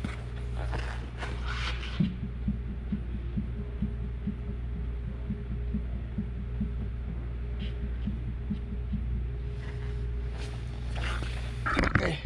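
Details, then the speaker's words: 2021 Genesis GV80 2.5L, 33,000 km, microphone under the rear wheel area while the trunk is bounced: dull, rapid rhythmic thumps over a low hum from the worn right rear shock absorber, which felt too hard once removed. "um I did compare the noises on the left side because it looks like it's a control arm and everything but we pinpoint it in the shocks"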